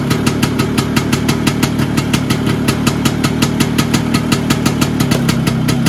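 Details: Vespa PX 125 with 177 kit, restored engine (new bearings, seals, piston, rings, lapped cylinder), 2.5% premix, first start after a year: crisp regular popping about five beats a second, no misses or knocking; owner says idle needs adjusting; normal idle.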